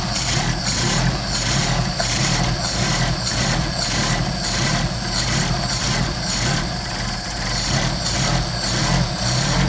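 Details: Mercedes 190SL with rebuilt Solex carburetors (39,000 miles; new throttle shafts, trued mating surfaces): steady fast cold idle on choke with an even, slightly lumpy pulsing beat; normal cold idle before warm-up and tuning.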